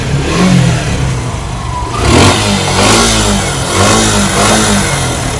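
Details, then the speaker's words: Suzuki Gixxer SF revved in short blips: dry chattering "tak-tak" rattle over the engine rising with revs, described as a very bad noise that other shops misdiagnosed; worn cam chain tensioner. "कराओ तो गाइ आपने सुन ली होगी आवाज कैसी आवाज आ रही है बहुत गंदी आवाज है"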